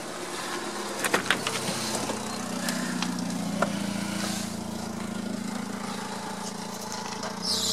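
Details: Chrysler 318 5.2L V8 after oil pump, new starter, oil pan gasket and fresh oil, with bent starter cover plate trimmed and starter shimmed: steady even low idle hum, no scraping or rubbing.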